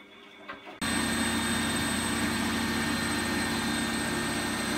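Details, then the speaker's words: Bosch WFF2000 washing machine test wash after drain pump replaced with Askoll unit: after a quiet start the drum picks up to a steady, even high whir with smooth hum; normal final spin. "So it looks like we're onto the final spin now, which is excellent."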